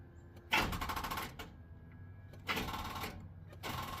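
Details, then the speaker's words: Square-body truck with a TBI 350, first start attempt after sitting two years: quick bursts of fast starter clicking with no cranking. A dead battery is suspected; terminals were checked and the battery was later confirmed shot. "Oh, that battery is [ __ ] that junk."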